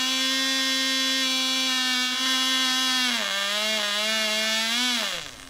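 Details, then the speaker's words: Cox .020 Tee Dee nitro glow model engine on thrust test stand: very high, clean, steady scream that dips briefly then climbs again before cutoff; about six ounces thrust, runs great; normal running. "six ounces that's pretty good well that really runs great"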